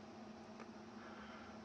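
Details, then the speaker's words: Fairchild 539A record-cutting lathe servo motor at 16 2/3 RPM after wrapping a coupler in silicone tape as a damper: low, steady hum without the previous resonance rattle; coupler noise cured. "The point here is that the noise is gone, and it doesn't come back because there's a dampener now on that one coupler. See how quiet that is?"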